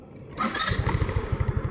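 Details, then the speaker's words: Rusi Rapid GY6-type scooter, unused two years, after cleaning its rusted carburetor: short crank, catches first try and settles into an even, steady idle; idle now stable, no longer stalls after throttle release. "pero ngayon okay na okay na gagamit na siya ng maayos"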